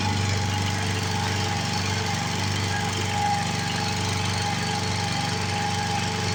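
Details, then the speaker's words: 7 hp Briggs & Stratton single, revived after 15 years in a shed, bolted to a board: steady, even rhythm at constant speed with no knock, miss or unusual noises, and no smoke; runs healthy. "It doesn't smoke, doesn't knock, doesn't have any unusual noises, so I think it'll be a good engine for somebody or someone."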